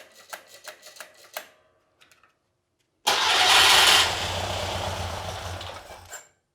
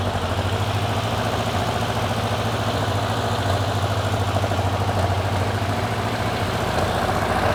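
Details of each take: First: Porsche 912 air-cooled engine stored over ten years, after points gap set to 0.016 in and rotor cleaned, fed from an outboard fuel tank: slow starter clicks, then a loud burst, runs rough about three seconds and dies; cranks and catches but won't keep running. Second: Porsche 912 engine, stored over ten years, running after its cooling fan was repaired and adjusted and slightly warmed. It holds a steady, even idle with no knocks; the top oil leak is fixed, with some smoke from underneath.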